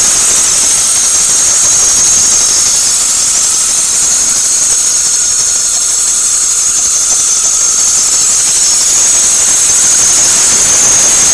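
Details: 2006 Toyota Corolla petrol engine: thin, high, steady squeal only in cold, especially moist weather, rising in pitch with speed; engine squeal of unclear cause.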